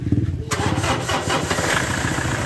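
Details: Toyota Innova after starter reinstalled and battery reconnected: brief quiet lead-in, quick crank catches right away into steady idle; clean, healthy start after starter repair.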